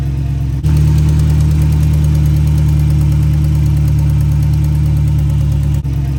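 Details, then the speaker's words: 5.7 Hemi (Dodge Charger/Chrysler 300) after resurfacing warped passenger-side exhaust manifold and replacing gasket: steady, even low idle, smooth pulse, no ticking or puffing at manifold; sounds healthy. "I'm gonna make sure all the sensors are plugged in, and then I'm gonna start it up and check for leaks. Sounds good so far."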